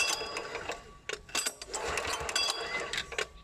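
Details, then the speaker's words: Kanto KT-DP30H 3-inch diesel water pump, hand cranking with decompression valve after bleeding fuel: sharp crisp cracks over light clatter as the injector pops, showing fuel has reached it and it is ready to start. "ได้ยินเสียงหัวฉีดตรงนี้ต้องคิดแล้วเนี่ยแต่ว่าเขาพร้อมสตาร์ทและแต่เราว่าstartได้เลย"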